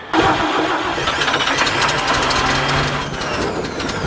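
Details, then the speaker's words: Old 427 dump truck that has been sitting a while, cranked using the choke and pumped gas pedal: steady, even churning of the starter with no firing; cranking, no start, possibly over-pumped or flooded (suspected, not confirmed). "choke push the choke in that sounds bad are you pumping it what are you pumping yes pumping it I'm pumping it he's pumping it I think you pumped it a little too hard it's had too much"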